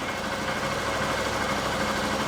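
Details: 2011 Honda Bros 150 motorcycle after shop repair of a customer-reported strange engine noise, test run: smooth, even single-cylinder idle at a constant pace, no knock or tick on top. Normal idle.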